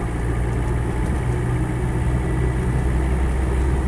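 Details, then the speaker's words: 1987/88 Land Rover 90 2.5 turbo diesel seven-seater, 152,000 miles on the odometer, slightly warm, driving. Deep even diesel drone holding steady under way, no knocks or rattles; engine healthy, performs well. "really i can't really fault it in terms of the way it performs it just just gets on with it"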